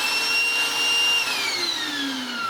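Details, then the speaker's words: Goblin Solo vacuum cleaner after refurbishment with a modified motor: high, piercing whine with whistling tones that slowly drop as the motor runs down. Shrill, noisy motor. "So, I guess it's always going to be a very noisy, very shrill vacuum cleaner."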